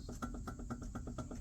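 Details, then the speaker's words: Mercedes W126 300SD front wheel rocked by hand at top: rapid metallic clunks about eight per second; car was pulling right with roaring noise; front wheel bearing loose or worn. "You guys hear that? So, wheel bearing's loose or it's wore out or something."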